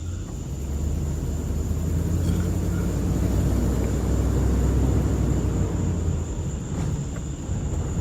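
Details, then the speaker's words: 2005 Dodge Ram 1500 4x4 driving after replacing the noisy rear differential with a salvage-yard unit: steady low road rumble, no whine or howl rising with speed; rear end now quiet. "so sounds much better this is great this is awesome man two days of work well worth it"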